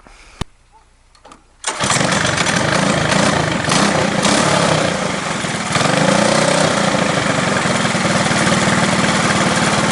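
Quiet, then a pull and the small kart engine fires and settles into a steady, even buzzing run with no misses or knocks.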